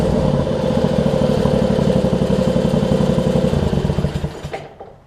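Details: John Deere LX279 riding mower, liquid-cooled engine, just started cold with unknown hours: chugs with uneven lumpy beats about four a second, then slows and dies away; rough cold running that seems to improve, cause unconfirmed.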